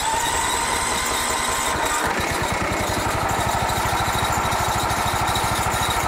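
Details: 2004 Country Clipper Jazee mower startup: cranks, catches at about two seconds, then settles into a steady, even single-cylinder chug with a faint squeak; engine sounds healthy.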